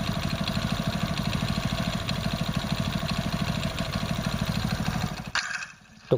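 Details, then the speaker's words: Hero Splendor Plus single-cylinder motorcycle at idle with a heavy, regular low knock on every beat until shut off; mechanic identifies it as a crank sound, crank bearing knock, rather than a weight sound. "जो सुन लिया वो sound उसका crank का है। अगर आपकी गाड़ी में ऐसा साउंड आए तो आपको समझ लेना चाहिए कि आपका इंजन का क्रैंक का साउंड है।"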